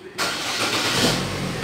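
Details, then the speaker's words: Chevrolet Cruze engine, previously misfiring, after ECU programming on gasoline with 20% ethanol: catches at once and idles evenly with no stumble or misfire. "ele pega liso sem falhar sem nada"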